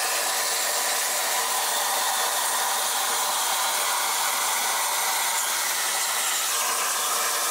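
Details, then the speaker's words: Cut50L plasma cutter on a CNC plasma table, cutting 1/8 in mild steel: steady, even high hiss of the arc with no sputter; low-frequency start with no electrical interference and the small air compressor never kicked on; normal cut. "no electrical interference on startup so definitely low frequency start"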